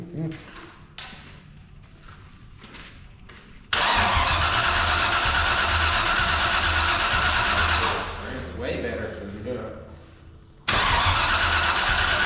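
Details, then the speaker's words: 454 big-block V8 in a Civic, new out-of-box carburetor, temporary fuel pump, early test fire: steady starter cranking then loud ragged bursts as cylinders catch and die, no idle; partial firing. "make sure the choke is open cuz last time we forgot about that and that's probably why I wasn't like giving some banss when he just cranked that sucker open the first couple times"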